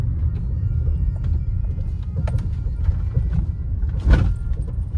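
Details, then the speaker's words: Maruti Suzuki Brezza suspension: silent on smooth road, sharp knocks from underneath over rough ground and speed breakers under heavy road rumble; cut suspension bush suspected, wheel to be opened at workshop. "एकदम silent चलेगा plane रास्ते में। जैसे ही कुछ उबड़ खाड़ रास्ता आता है ना ब्रेकर वगैरह तभी ये साउंड करता है।"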